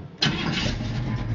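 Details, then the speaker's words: 1979 Chevrolet pickup, 383ci V8 rebuilt about 100 miles ago: starter barely turns before it catches instantly and settles into strong, even rumble, no misses or knocks, heard from behind the truck. "démarrage impeccable on l'entend un petit peu derrière làin voilà"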